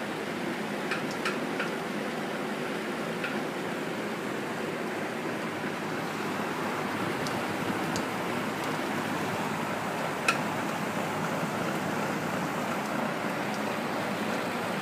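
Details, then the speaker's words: Vintage Rex window/exhaust fan first test after replacing shaft sleeve bearings, temporary link-belt fitted: steady air rush with faint uneven sharp ticks and knocks; knocking at motor shaft, bearings need better shims/spacers, motor sounds rough. "you can hear that knocking sound and it's something with the shaft of the motor"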